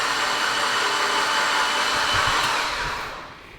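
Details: Freshly built 800whp Mitsubishi Evo X engine cranked with spark plugs out to build oil pressure before first start: smooth high whir with no firing or compression pulses; oil pressure came up to 21 psi.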